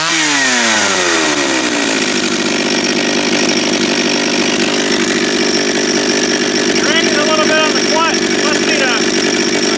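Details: Japanese-made John Deere EV45 two-stroke chainsaw after carburetor rebuild, first start, no chain brake: spins up within two seconds, then holds a steady, even high-pitched buzz with no misses; healthy running.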